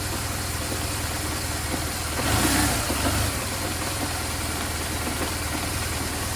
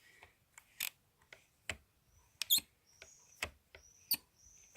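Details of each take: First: BMW R1200GS boxer twin after cleaning and realigning the clutch switch, clutch held in and started in gear: brief crank then steady even idle with low thrum, no knocks or misses. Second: 2004-on BMW R1200GS clutch lever pulled repeatedly: thin high squeaks among light taps with no crisp switch click, unlike the brake lever; sticking clutch switch suspected as cause of no-start, to be cleaned and realigned.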